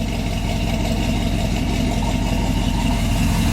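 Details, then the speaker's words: 1966 Chevy truck, engine cold just after cranking: low, uneven lope with wandering beats at idle; owner says it doesn't idle well cold and needs a little carburetor work, though it improves once warmed up. "Well, we got a little carburetor work to do. You don't idle too good when it's cold."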